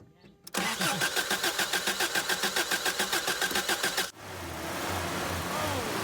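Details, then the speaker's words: 1993 Toyota pickup 22RE after replacing gummed, fouled spark plugs that caused a no-start: even cranking about three and a half strokes a second for three-plus seconds before catching, clearing excess oil and fuel; heavy white smoke on start-up. "okay yeah it needed a couple cranks to clear the cylinders of a little bit of wow a little bit of excess oil"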